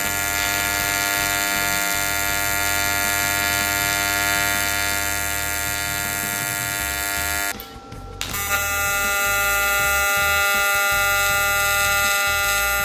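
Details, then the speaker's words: YesWelder CT2050 AC TIG on an aluminum coupon while AC frequency is changed between 50, 100 and 200 Hz: steady high-pitched buzz that stops and returns at a different pitch; sound clearly differs, weld looks barely change. "what you could really tell was the sound 50 100 and 200 Hertz you could definitely hear the difference in those welds"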